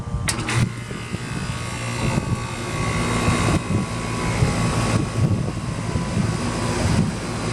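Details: 1995 Tempstar 5000 central AC with a Copeland reciprocating compressor, first startup of 2024 in its 29th season, 87°F outside. The unit kicks on and settles into a steady, even hum with the fan whooshing and no knocking or rattling. Normal startup.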